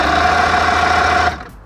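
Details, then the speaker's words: 1959 Mercury Mark 35A outboard, unrun about 10 years, cranked on a rigged battery via ignition key: even fast whirr turning over with no firing, then stops; cranks but won't start, no spark though power appears to reach distributor. "So the issue is I just don't have any spark. And from what I can tell, this is power going into the distributor."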